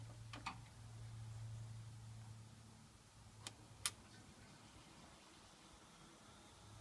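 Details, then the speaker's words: New fuel pump for a Toyota MR2 Mk1, bench tested in the tank with about two litres of petrol and powered through crocodile clips: a faint steady low electric hum for a few seconds between sharp clip snaps, then it cuts out; the pump springs to life. "um we should hear the pump spring into life okay"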